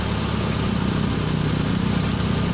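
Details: Proton Waja MMC manual petrol engine idling steadily and evenly just after start, no hunting or stumbling; original idle stepper motor working fine, no replacement needed. TPS reading high (around 800), running without thermostat; owner advised refitting 82°C thermostat.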